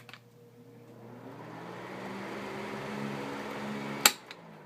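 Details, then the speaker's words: 1980s Montgomery Ward (Tatung) 12-inch oscillating desk fan, model VTG48731, switched on to high. Switch click, then a hum rising in pitch with a faint motor whine as it spins up; normal startup. "I want to try to show you the startup sound that it makes I'll go around to the back and turn it on to hi see if you can hear this noise it's a really great noise"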